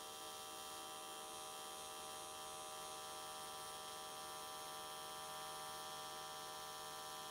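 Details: AC TIG welding aluminium S13 catch cans, vertical welds, after switching to square wave: steady, even buzz without sputter, crackle or wandering pitch, arc definitely more stable than before.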